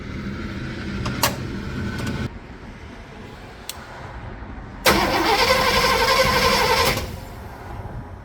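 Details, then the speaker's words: A classic Rambler with a 327 V8 and no battery, cranked with a 6000-amp portable jump starter: after some clicks the starter spins the engine briskly and evenly for about two seconds. Healthy, fast cranking. "all right so you can hear how quickly that's spun over it works as it is supposed to"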